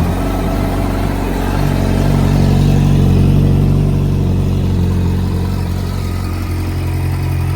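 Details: Yamaha R1 four-cylinder after knocking diagnosis, big-end bearing check and new battery: smooth, even idle with no ticking or rattle from the top end; sounds healthy.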